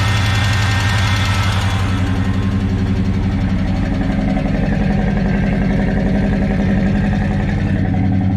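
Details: 1970 Chevrolet K10 with a 396 big block from a 1971 Chevelle, first start after fuel tank cleaned (bad gas still in line), good oil pressure; lumpy big-cam idle with a steady fast tick, owner unsure if exhaust leak or lifter: ticking at idle.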